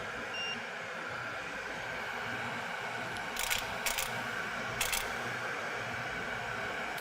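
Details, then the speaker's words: Pro-Cut on-car brake lathe attached to rotor via adapter plate on a relatively new car: steady motor hum with a few sharp separate clicks as adjustment solenoids compensate dry flange runout, reaching 1/1000 inch or less; normal operation. "So we're going to turn on the motor, and then we're going to push this start button, at which point hopefully you'll be able to hear the adjustment solenoids. You'll hear some clicking sounds as they automatically adjust that dry flange to reduce run out."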